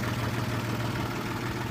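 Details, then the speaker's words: Honda H20A engine idling with an irregular knocking tap from the rear over a low rumble. The owner first suspected hydraulic lifters, then the chains; someone suggested bent connecting rods. The cause is unconfirmed. "стук идет где-то сзади. Сначала думал гидрокомпенсаторы, потом что цепи."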